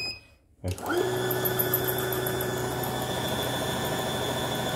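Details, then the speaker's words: CNY embroidery machine running loud and harsh, unable to run normally, with a fast rattling tick about four per second. "Suara mesin kenceng, mesin nggak bisa jalan normal."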